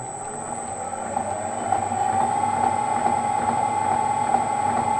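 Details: M300 gearbox running at constant speed, tested at 180, 800 and lowest 40 settings: steady mid-pitched whine with faint irregular knocking underneath; noise sounds tooth-like at slow speed, suspected gear tooth, cause unconfirmed.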